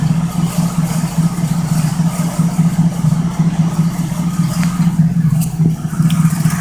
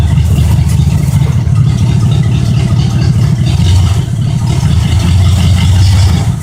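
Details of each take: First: 1972 Oldsmobile 98 with 455 big-block V8, cold start: rhythmic knock-like tapping that is a nearby component vibrating, not the engine, which runs well. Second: 1972 Oldsmobile 98 with a 455 big-block V8, cold start and idle: deep, steady rumble with even firing; a knock-like sound is only a vibrating part, and the engine runs well.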